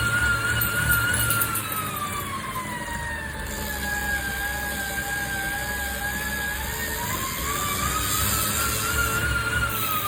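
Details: Tacx Flow indoor bike trainer: a harsh, whining grinding noise that rises and falls in pitch with pedalling speed.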